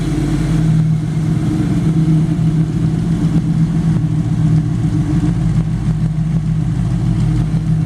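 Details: 1933/34 Ford running chassis with V8, high-amp alternator and power steering: steady low rumble, even and unbroken with no knocks or misses, oil pressure about 50 psi; smooth, healthy run.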